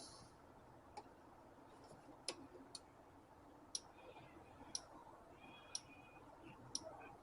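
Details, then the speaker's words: 2000 Isuzu Trooper 4JX1 diesel, injector control test via scan tool, ignition on: crisp even ticks about once a second from injector one, switching cleanly and working normally. "we're gonna listen for the injectors now you're there so hopefully you can hear injector one is clicking"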